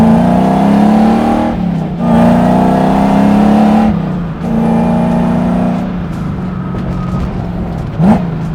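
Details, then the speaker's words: Drift truck after swapping to a louder supercharger with a new pulley: clear whine climbing in pitch with each pull through the gears and dropping on lifts, audible even when cruising; normal, louder supercharger sound. "It's definitely louder. The fact that I can hear it just cruising through the gears is already like a big change"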